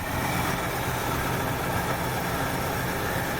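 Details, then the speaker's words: 1968 Ford Fairlane with a flooding carb, uneven muddy idle with a loping, unsettled beat; running way rich because the choke heat line to the exhaust manifold was hooked up backwards. "this is the end that should have gone into the exhaust manifold so she's got a mess or two from running way rich"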